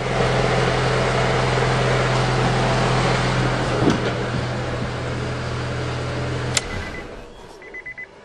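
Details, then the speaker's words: 2000 Honda Accord VTEC 4-cylinder idling after timing and balancer belt replacement, covers off, belts finger tight: steady even low hum, no knocks or vibration, sounds healthy, so balancer belt is installed correctly. "sounds good to me no problems and no vibrations so I got those uh balancer belt on right"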